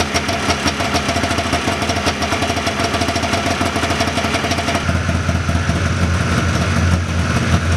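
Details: 1979 John Deere Cyclone 340 two-stroke snowmobile after carb cleaning: steady, even burble at slightly fast idle, no misses or knocks; air box still off. Normal idle.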